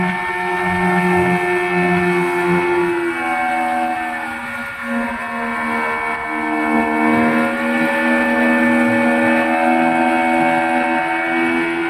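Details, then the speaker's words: Yamaha 15 hp outboard that used to die at low rpm when shifted into forward gear, after fixing a leaking reed valve ("red velvet") and a clogged carburetor: pitch rises smoothly with throttle and returns to an even idle, and it no longer dies. "saya lepas saya lepas Iya tidak mati lagi sudah jos sudah bagus mantap"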